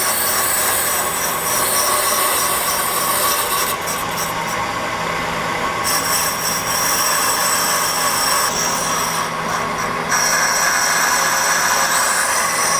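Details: 1998 Ford Contour brake rotor, causing pulsation, machined on a brake lathe: a steady high metallic hiss over a constant low hum. An even, normal, clean cut.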